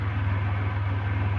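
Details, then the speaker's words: Centurion engine at steady, even low idle with a smooth regular pulse, no misses or knocks, after the fix: two touching wires in the O2 sensor harness had made the mixture go extremely lean, too little fuel to keep idling. "Centurion is sitting here running perfectly. I figured out the problem."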